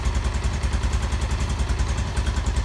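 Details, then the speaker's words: Yamaha Exciter rebuilt with 57 mm 150 upgrade, larger fuel tank and pod air filter: after repair the engine idles with a low, even, steady thump, no clatter or knock; the earlier loud noise is gone. "bây giờ mình nổ máy cho bạn nghe bạn Nhớ lúc đầu nó kêu ghê đúng không Bây giờ nó hết kêu nữa rồi em nha"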